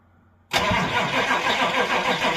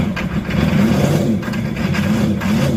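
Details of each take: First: Old Chevy C20 crew cab diesel, glow plugs cycled before cranking, revival after sitting: starter bites hard then heavy cranking beat sags and labours within a couple of seconds; slow cranking from low batteries. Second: Old C20 crew cab truck with about 89 hp, started with ether, with a backfire that the owner thinks broke the ring ridge loose: it catches and settles into a steady, deep, even beat with a brief dip and recovery. Normal running after a hard start.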